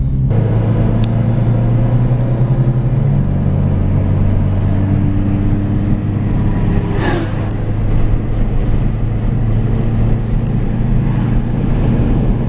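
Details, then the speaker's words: 2000 Dodge Stratus road test at 70 mph after replacing upper control arm, strut and previously grumbling wheel bearing: steady low road rumble and tire hum, no growl or rhythmic grind usually heard around 65-70 mph; bearing now healthy. "We're up to 70 miles an hour and I don't hear it. Yeah, I don't hear anything either."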